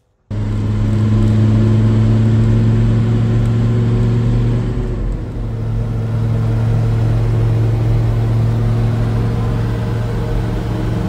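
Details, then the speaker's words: Mercedes Unimog, OM602 diesel, previously falling into limp mode with power loss after a few miles on gradients, test drive after small repair: firm even drone pulling smoothly under throttle, no stumble; farther than ever without limp mode. "okay so I am now on my test Rod number two and I'm already further than this thing has ever been without falling into Lim mode and it's driving beautifully it really is cooking along"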